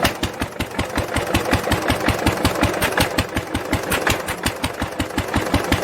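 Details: 1946 International LBBR McCormick-Deering 3-5 hp hopper-cooled engine after fitting a homemade glasspack muffler, recorded from about the same distance: steady single-cylinder beat around 160 per minute, crisp even firing with softened exhaust bark; running normally.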